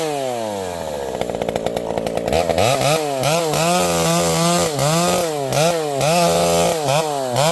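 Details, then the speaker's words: Vintage chainsaw with a governed carb cutting a leaning tree at full throttle: it bogs into the cut with a burbling, four-stroking blubber that can't be leaned out. Running beautifully. "This old girl is running beautifully. You can hear this thing has a governed carb. So, uh, it, uh, it blubers no matter how lean you you can't lean this thing out too much."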